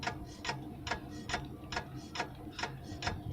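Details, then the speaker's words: Light regular knocks about twice a second in time with the wheel; handbrake spring catches as it turns, stops when handbrake raised one notch; not critical. "причем если я на одно деление ручник подниму она стучать перестанет выяснил я делаю ручнике его пружина задевает about или паук задевает пружину"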